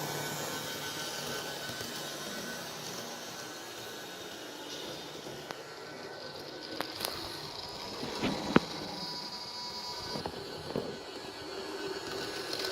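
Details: Märklin 37806 model locomotive drive motor after servicing, sound function off. Steady, even whirring hiss with a faint high whine and no knocks or rattles; the motor runs normally.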